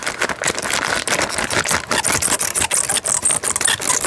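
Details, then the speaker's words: Plastic bottles rubbing together inside a camper van cupboard: dry, irregular crackling and squeaking audible through cupboards and the fridge; fixed by wrapping the bottles in cloths. "ihr das das ist so ganz ekelhaft und das hörst du durch jeden Schrank und durch jeden Kühlschrank glaub mir ich weiß wovon ich rede"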